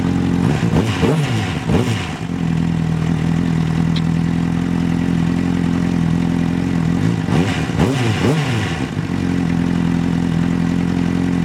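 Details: 2006 Honda CBR 600RR, bought about a month ago, first-crank start-up: steady, even idle with a firm low hum, two brief revs, no knocks or rattles; normal idle.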